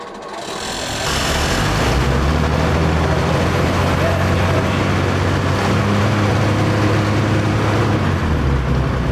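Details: 1941 Lincoln Continental convertible V12 bought sight unseen, first start attempt with ignition and fuel on; it catches after a brief crank and settles into a deep, steady, even rumble with no knocks or misses; runs healthy, a little smoky.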